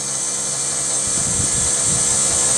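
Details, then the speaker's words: Rover 75 CDT diesel after fuel system service, ignition on, engine off; thin high steady whir of the electric lift pump self-priming the fuel system: normal. "so the system is supposed to be self-priming that's whizzing making some wiry noises can you hear that"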